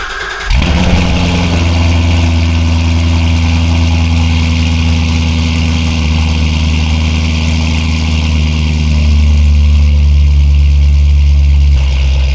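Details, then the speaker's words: C7 Corvette with ESS supercharger and TSP 2-inch headers, first cold start after the install. It catches at once into a loud, steady high idle that later calms down and steps lower; a normal, healthy cold start. "Holy, that's loud. And it won't even, you can't even tell, I know, through audio, but it is loud."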